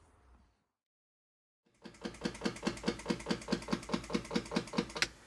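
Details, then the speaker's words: Stone-cold 1967 Ferrari 275 GTB/4 being set up for a cold start before throttle pedal linkage adjustment: steady rapid ticking at about 2.5 per second as the electric fuel pump primes; normal pump sound, then shut off. "Okay, I'm going to shut the fuel pump off so we don't have to listen to it."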